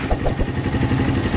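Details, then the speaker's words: 13-year-old daily-use Suzuki Thunder 125 single-cylinder motorcycle with a torn carburetor diaphragm, idling after servicing: steady, even putter, revs holding level with no hunting or surging; idle stable. "Still, ang idle niya is stable, hindi siya naglalaro."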